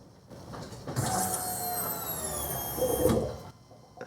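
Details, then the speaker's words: Chevy/GMC truck with 5.7L Vortec after fuel pump replacement, key on and engine off; thin electric whine about two and a half seconds then stops, pump priming normally after a poor ground was fixed. "all right i hear the pump gurgling do that a couple more times just didn't have a good ground that's how important that ground is"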